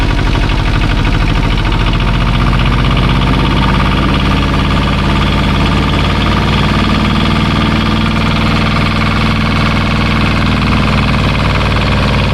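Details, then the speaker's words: 1985 Kubota T1600 diesel garden tractor, 290 hours, just started: steady even diesel clatter with deep smooth beat, no knocks or misses as throttle comes up; normal running, though hydrostatic transaxle barely moves. "so yeah this thing cranks right up it runs really well give a little bit of throttle"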